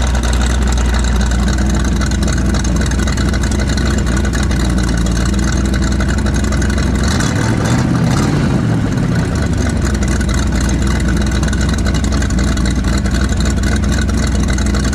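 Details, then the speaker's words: Truck bought in Washington for a 1900-mile drive home pulls with an uneven, stumbling drone that sags and surges under load, cutting out as if losing fire; loading up a little, needs a tune. "But that way it was cutting out, that almost sounds like it's losing fire."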